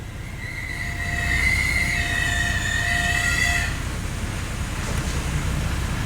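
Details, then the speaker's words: 2014 Acura RDX, 212,000 miles, road test then rolling in reverse: high steady metal-on-metal squeal when braking, brake pedal normal; pads worn to steel (passenger side down to steel, inboard pad low), wear sensor squealing, rotors also need replacing. "I put my foot on the brake, it's making noise. Let's roll the window down. Sounds like the left front brake is steel on steel."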